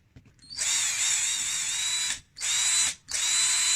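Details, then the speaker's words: Dongcheng cordless drill after a repair for noise and slow speed, tested with a replacement used original 550 brushed motor fitted with new carbon brushes. Three strong bursts of a high, clean whine at steady speed, with no rattle or grinding. "好，这个声音非常有力我们现在可以装机。"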